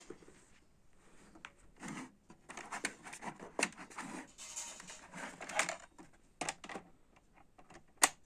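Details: Panasonic NV-SD300 VCR full check after repair: light clicks, soft whirring and brief scrapes as the tape loads and runs, no grinding or squeal; mechanism sounds healthy.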